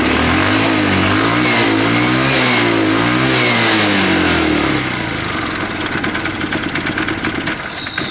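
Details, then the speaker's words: Tamoretti Retro scooter/moped, old carburettor: revs rise and fall cleanly up high, then drop to a ragged, uneven stutter at low revs; unhappy on lower revs, happy on higher; owner believes it is clearly a carb issue, else spark plugs. "at the moment this bike is not happy on lower revs but he's very happy on higher"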